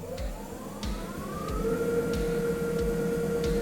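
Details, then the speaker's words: Sherwood 14" heavy duty electronic variable speed bandsaw started on run: motor whine climbs then holds steady with only a faint regular blade tick; quite quiet even for a bandsaw, normal running. "And as you can hear, even for a bandsaw, it's quite quiet."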